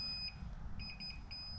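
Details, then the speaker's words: Bomb Moto B1 electric mini moto with a Fardriver 72450 controller and a 77 V battery, chain off, right after key-on: a quick run of faint high chirps over a low rumble; the controller's normal power-on beep sequence. "once you turn it on you'll hear beeps and once you hear the beep I will then show you what to do very simple process"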